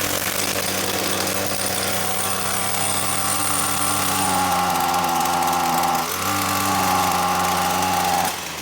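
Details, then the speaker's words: New Ryobi two-stroke string trimmer on its first start, running on half choke after priming: steady fast buzz at fast idle, revs holding even with a brief dip; healthy. "And we're starting to start, so I'm going to move to half choke."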